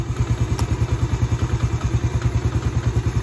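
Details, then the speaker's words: Yamaha Vega ZR after crankshaft bearing replacement and rewound stator coil (spul), the cause of rough whining engine noise: small engine idles with an even, low thumping pulse and no whine, now smooth and fixed. "Suaranya sama saja motor tetap halus. Berarti motor ini sudah sembuh. Alhamdulillah suaranya sudah halus ya."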